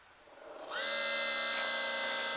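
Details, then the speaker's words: Levoit LV600HH hybrid ultrasonic humidifier at switch-on: a whine rises quickly, then holds as a loud steady buzzing whine while making mist; white calcium buildup on the internal fan, dry bearing noisy; oiling the fan removed the sound. "all right and it is kind of working so it is it is making lots of mist but it's making a racket in there oh yeah so let's unplug it probably needs some oil or something"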